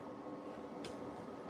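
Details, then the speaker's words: New countertop ice maker, just unboxed and started: soft, steady airy whoosh from the side vent with low hum, no rattles or ticking; cooling fan running normally. "This right here on the side is blowing like air out of it. And I know you probably know what that is, Tina. So, this is what this is. It's just air coming out of there right now."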